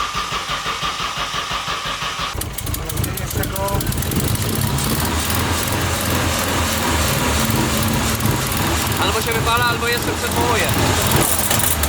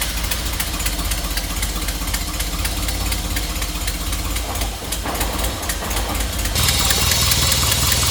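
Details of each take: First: Nissan S13 Silvia first start with new exhaust on a single muffler: rough, uneven rasp with a shrill whistle; abnormal noise. The turbo, stuck before, was now spinning and the noise had been heard before. Suspected turbo, not confirmed. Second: Nissan S13 (Sil80) start: steady idle with even beat about four times a second, no misses or knocks; never sounded so healthy before.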